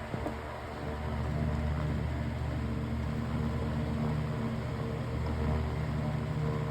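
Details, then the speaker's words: Black desk fan after its damaged blade was replaced and parts swapped, run through speeds one to three: steady even motor hum and smooth airflow hiss with no wobble or rattle, much better than before. "So, as you can tell, that wasn't that was much better than the last plate."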